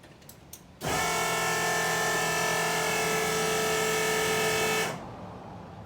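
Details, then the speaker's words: Newly installed dual Magnafuel 4303 (750) electric fuel pumps priming; steady, even, loud mid-pitched whine that starts and stops cleanly after about four seconds; pumps sound healthy, though one fitting is leaking. "pretty loud yeah we'll crank it up"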